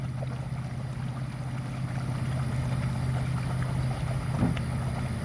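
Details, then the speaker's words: 2012 Sea-Doo Challenger with supercharged four-tec engine, after a jet pump cavitation fix: at idle, forward engages positively with a steady low drone and smooth water rush, no rattling or surging; thrust better than before. "there's forward you can hear the positive engagement and now we start creating some thrust so this is at idle this is even better than what we had before"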